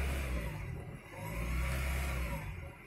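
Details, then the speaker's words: 2000 Honda Prelude SH (H22) at cold idle: speed keeps rising and sagging every second or two, never settling, and it gets worse when warm. Holding rpm steady, there is no misfire. Surging idle, before the fix. "just does this at an idle until it starts warming up and then when it warms up it goes crazy"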